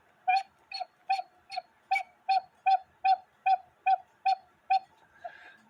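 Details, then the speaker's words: 1950s Poppo musical cuckoo clock with count wheel: about a dozen evenly spaced hollow whistling hoots, roughly two a second, at one pitch, weak because screwing the bellows split the wood and it leaks air; needs gluing. "with me putting the hole in it split the wood so now I have to glue this so it makes noise"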